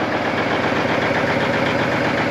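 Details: 1989 Kenworth K100E with Big Cam 4 Cummins diesel, cold start on fast-idle switch, warming up and smoking a bit as expected: steady, even diesel clatter at raised idle with no misses or odd knocks; healthy engine.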